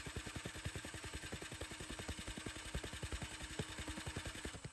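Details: Snow blower on electric start (pull cord broken), fuel line blocked so it runs only on carb cleaner sprayed into the carburetor. Steady starter chugging with no firing at all. Cranks but won't start; owner then suspects timing or valves.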